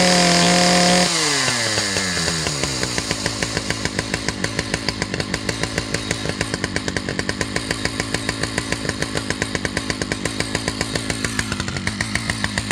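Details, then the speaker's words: Husqvarna 2100 CD two-stroke chainsaw: fast idle with steady popping about 3.5 times a second, chain still moving at idle, and rich running heard when revved out; high idle and rich mixture. "so she's idling a little bit high which is why the chain continues to move while the saws at idle also runs a little bit rich you could hear it when I wrapped it out"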